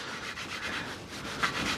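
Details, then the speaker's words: Kawasaki ZX9R cylinder head recondition, hand-lapping a valve with coarse grinding paste: the grinding tone changes to smooth, even back-and-forth rubbing with a soft hiss, showing the valve has seated in. "So, that's what you want. That's where you want to get to. There, it's gone really smooth now."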